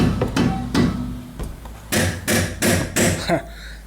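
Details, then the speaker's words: 2010 VW Fox, hammer strikes on the front suspension draw hollow, rattly knocks. The stabilizer links were found nearly loose, barely tightened, and the caliper also has slight play. "Primeiro as bieletas aqui estavam praticamente soltas tá estavam pouco apertada aqui"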